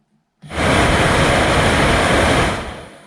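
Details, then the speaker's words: 2006 Corsa C 1.2 interior blower fan, previously noisy and working only on speed 4, after cleaning and lubricating the motor: spins up to a steady even rush with no squeal or grinding, significantly better; normal blower run. "I'd say is um significantly better let's put it back in"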